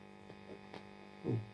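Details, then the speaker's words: 1990s Vox AC30/6TBX tube amp at first power-up, all controls turned down: constant loud low electrical hum that does not change with the controls; source not yet found. "Right, we're up and running. My word, that is noisy."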